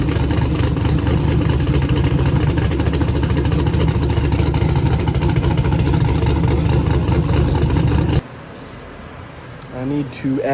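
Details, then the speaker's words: Car engine with an earlier valve train noise, first start after the fix: steady even idle, no ticking or tapping from the top end; valve train sounds healthy. "Yeah. Sounds good. Sounds like it actually works."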